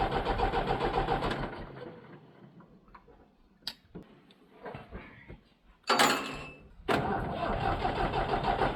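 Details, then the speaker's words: Leyland diesel tractor, long unserviced, cranked in steady bursts with pauses but never fires or catches; no fuel reaching the injectors, crank no-start with no fuel delivery (battery then went dead). "yeah we got no fuel at the injectors"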